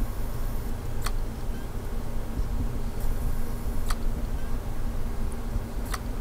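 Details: Failing hard drive in a Lenovo Y50 laptop, microphone placed near the drive: sharp isolated clicks every two to three seconds over a low steady hum. The laptop fails to boot, showing checking media and boot drive failed. Click of death.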